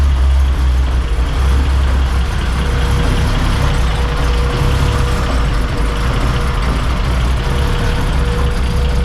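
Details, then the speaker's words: 1981 BMW E12 on test drive after recalibrating a wrongly calibrated AFM, fixing loose grounds, new injector fuel lines, cleaned injectors and set timing: steady even engine drone, no stumble or surging, accelerates properly; normal running. "that was it guys the AFM was calibrated wrong I guess it runs super sick now it actually accelerates"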